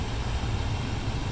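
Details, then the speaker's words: 2002 Ford Explorer HVAC with no prior vent airflow despite a running blower: steady low rushing air with an even rumble and no ticking or rubbing. Airflow restored after removing stuff from behind the glovebox. "I didn't have air flow before but now that I took all that stuff out that you watched I have air flow"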